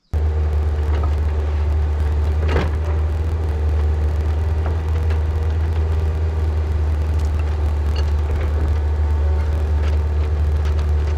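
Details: Newly bought excavator digging a hole for a 500-gallon underground propane tank, before it later lost speed and power: steady, deep diesel drone holding even under digging load, no knocks or misses; engine healthy.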